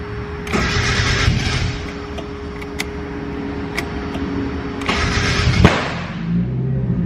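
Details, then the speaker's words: Turbo Mazda Miata with new Speedy EFI ECU: catches after a short crank with a sharp pop near the end of the start and settles into a rough idle; backfire on startup. "okay there's still a backfire but uh it starts nonetheless"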